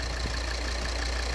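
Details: 2013 Volvo XC60 2.4D diesel (D5244T10) after repairing the vacuum pump check valve whose ruptured membrane made the intake flap pulse and knock; steady, even idle with a low smooth drone, no pulsing or knocking, normal idle.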